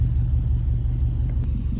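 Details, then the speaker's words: Car at idle after exhaust work and new spark plugs: low, uneven, stumbling idle from a code-confirmed cylinder 4 misfire plus random misfire; idle relearn failed; coil packs 2 and 4 to be swapped to test whether the misfire moves. "so now we know it's a true misfire on cylinder four not sure if it doesn't say ignition coil"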